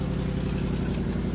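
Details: 2011 Ford Crown Victoria P7A V8 at cold start, stock exhaust before planned long-tube header and dual exhaust overhaul: steady idle with rapid, even puffing tick on each firing pulse, an exhaust leak.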